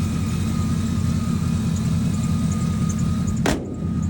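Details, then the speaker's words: 2003 Chevy Silverado 6.0L LS V8, 93-octane tune, stock headers, near straight pipe, idling after the bad TPS/throttle body was replaced and the coolant hose bypassed; steady even low rumble, no hunting or surging, no idle shake, normal idle, owner hopes it's fixed. "But yeah, I fixed it, hopefully. Truck doesn't idle, shake, and all of that. So yeah, we're good."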